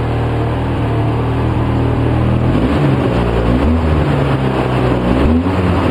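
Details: 2004 Polaris Sportsman 700 twin running on partial choke about 10 minutes, with Seafoam: uneven, lumpy idle with wandering pitch, dies when choke is removed; owner suspects a badly rebuilt carburetor with loose and missing screws.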